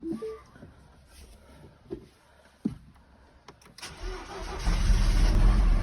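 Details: 2009 Mini One, 104,000 miles, with mechanical engine knocking: cranks, catches after a few quiet seconds, then runs with a rough, regular knock about three per second under the idle.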